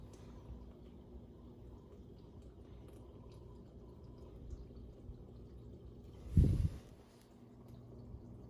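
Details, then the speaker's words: Dishwasher on a rinse-only cycle after reassembly and cleaning out a piece of plastic and glass shards: quiet fill with a soft low rumble and trickling water. The earlier loud humming during the wash cycle is gone, and it runs normally. "yep there you have it folks operating as it should"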